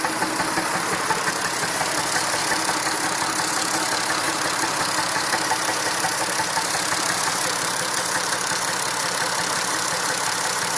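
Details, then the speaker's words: Massey Ferguson 2645 tractor, Perkins 6-cylinder diesel said rebuilt 100 hours ago, lacking power: rough lumpy idle near two beats a second, exhaust strokes unevenly spaced; suspected valve not closing, low compression in one or more cylinders. "I guess it's not properly closing valve, which also results in bad compression. Bad compression results in poor engine performance."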